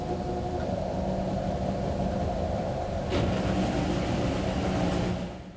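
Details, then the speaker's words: Normal high-efficiency washer spin phase: the motor hums and changes intensity, with some normal clicks and clunks, as the basket spins up through a slower speed to its final speed. "You may hear the motor humming, changing intensity, and some clicks and clunks that are normal. Next, you'll hear the basket spinning up. It will reach some slower speed before finally moving into the final speed that is characteristic of this phase."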